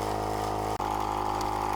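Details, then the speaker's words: Cheap tyre inflator sold as most powerful in its class, inflating a tyre from about 19. Steady buzzing motor hum with a rough, tinny rattle, "like a bag of nails"; internals sound loose, cause unknown. "it's it's it's doing all right it sounds like there's a bag of nails in there i'm not quite sure what's happening"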